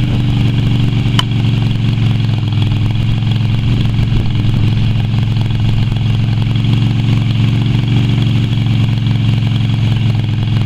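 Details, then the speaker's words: Yamaha Virago XV250 V-twin after six years in storage, oil topped up but not changed: steady but lumpy idle with a ragged, uneven beat throughout, still running rough. "she's a bit rough runnin but she's been sitting for six years I've only worked on this so far two and a half days and it's already going surprise me"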